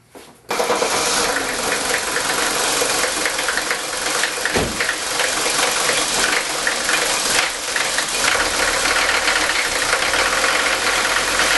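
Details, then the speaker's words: Mercedes-Benz 5-cylinder diesel starts and idles loud, rough and rattly, knocking like ball bearings, from worn injector nozzles, before installing Bosio nozzles. "now not only is this engine running rough as you can see it also sounds like there's ball bearings inside there it almost sounds like a general motor 6.2 L engine this engine is not supposed to sound like this"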